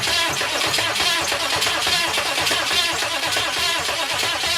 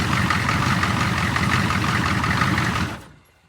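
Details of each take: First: 6.5 turbo diesel Suburban with newly installed starter: steady starter churn at about one beat per second, never catches; cranking with no start because no fuel supply reaches the injection pump. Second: 6.5 turbo diesel Suburban after starter replacement, with no throttle hooked up: steady, even idle clatter at settled low speed, then it shuts down; normal diesel idle.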